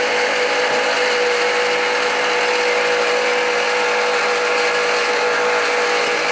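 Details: 2013 Jeep Patriot Limited 4WD idling after new tensioner and idlers were fitted. A constant gritty whir and steady mid-pitch tone with no rhythm comes from a failing alternator bearing, later replaced.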